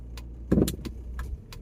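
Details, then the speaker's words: 2004/05 Audi A6 1.9 diesel with smoke, hesitation and various noises, test driven after the diesel fuel filter was checked. Sharp, irregular clunks and light rattles over road rumble while driving; the cause is not identified. "makes a lot of noises definitely needs a fair bit of attention that sounded weird so sweet oh I don't know scary it just has a lot of noises a lot of clunks and rattles"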